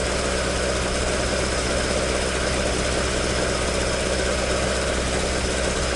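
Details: Toyota AE86 with 4A-G engine after exhaust leak repair, stock exhaust: a steady, even four-cylinder idle with a smooth note and no puffing or ticking from a leak. Normal idle exhaust note.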